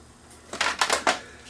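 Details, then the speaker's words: Toshiba SD6100 DVD player (2008) with no-play fault, at power-on: quick burst of three or four clattery mechanical clicks from the loader, then quiet; a belt suspected, possibly more. "Sounds like it could be a belt, but it could be more than that."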